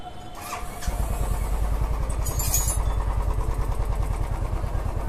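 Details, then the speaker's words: Royal Enfield Classic 350 after repair with new valves and rings, following a cracked sound and knocking on pickup: catches after a second and settles into a steady, even single-cylinder thump with no knocking; healthy idle. "अभी हमने bike को जो चलाया बहुत अच्छा लगा और चलाने के बाद ही आप लोगों को स्टार्ट करके दिखाया साउंड क्वालिटी एकदम बेहतर है"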